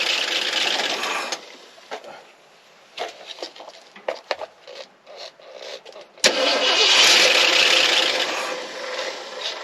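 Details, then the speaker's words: 1963 Ford F-350 truck engine hot-wired for its first start in 25 years: catches after stuttering cranking and settles into a steady, even run; sounds healthy and runs. "All right. Well, it sounds good and it runs."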